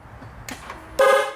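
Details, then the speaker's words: Toyota Camry, horn not working: a short clean toot at key-on during a test-light check at the fuse, showing the relay, fuse and circuit to the horns are good. "there it is okay so we have power when we're turning the key on and we hear the horn so that means that the relay is working the fuse is working the circuit from here to the horns is good"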